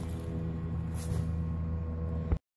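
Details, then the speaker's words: Air conditioner with fan and compressor not running on a hot day. Steady low electrical hum as the motors try but fail to turn; a stick push starts the fan. Cause: dead dual run capacitor, replaced with a new one. "You can hear the noise mmmmmmm Now .. This means that the fan or the compressor can not work because it tries to move but it can not move"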